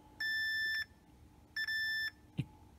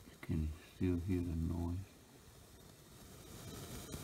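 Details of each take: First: Yamaha C-2a preamp tone control PCB, being repaired for popping and static noise, with two steady high beeps, each about half a second, from a meter's continuity test confirming a good connection while checking a wrongly oriented component. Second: Yamaha C-2a preamplifier, tone control PCB: low hiss with crackle and a sharp pop in otherwise quiet output; static and popping noise, with transistors TR520/TR522 showing low emitter voltage (12.7 V).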